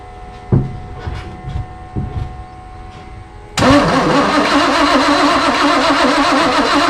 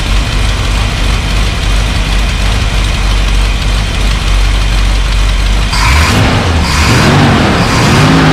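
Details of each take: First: Off-road recovery tow truck after wiring rework and carburetor replacement, fuel pump running: a few cranking thumps, then catches and settles into a steady, slightly rough idle; runs again, tuning still needed. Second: Off-road recovery tow truck V8, first run after wiring rework and a carburetor replacement: loud, steady, lumpy running, then sharp revs rise and fall. Runs better than before, but the new carburetor still needs tuning.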